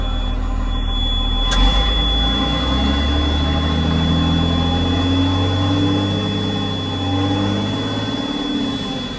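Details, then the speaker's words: John Deere JD6081H diesel, 10,739 hours, in a 300D articulated dump truck parted out for differential issues: steady idle with an even low drone and clean firing, no knocks or misses. It runs good and is healthy. "Runs good, don't it?"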